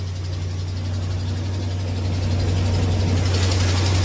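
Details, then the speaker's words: Ram 1500 Hemi V8 at cold start, first thing in the morning. A light, steady tick about four times a second over a deep rumble fades once warm; the mechanic believes it is an exhaust manifold leak, not lifter or cam. "It's first thing in the morning cold. That is not a lifter cam shaft type ticket."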